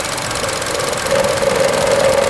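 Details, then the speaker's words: 2012 Chevy Cruze Eco with the EcoTec turbo engine, heard in the engine bay while running. A fast, tinny metallic rattle rides over the engine at steady speed but cannot be heard inside the car. Source not identified. "I can't believe how that rattles. You can't hear it inside the car."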